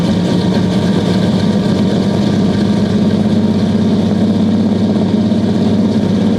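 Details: 1969 Buick Special Deluxe 430 big-block with big cam, after opening the fully closed choke on a warm day: steady, even idle, smooth low rumble, no misses or knocks; runs much better, good oil pressure, water temp coming up.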